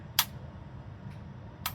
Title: Johnson Controls chilled water actuator valve JG13A020 that failed and is making a clicking sound